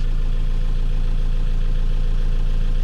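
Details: 1998 Vauxhall Vectra B started after sitting a long time, smoking at first: deep, even, steady idle with a regular beat, no knocks or misses; owner judges the engine healthy.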